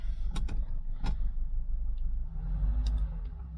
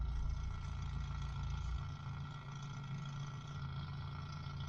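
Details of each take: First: Mk3 Cortina 2000 GXL idling, heard inside the car, after fixing a rattling brake servo non-return valve: low, steady hum with a few faint clicks, rattle gone; only remaining rattle is the PCV valve, which is normal. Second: Mk3 Ford Cortina 2000 GXL, BW35 automatic, at idle with brake operated, heard from under the accelerator pedal: deep steady idle with a loose, uneven rattle from the brake servo's one-way non-return valve; valve to be replaced.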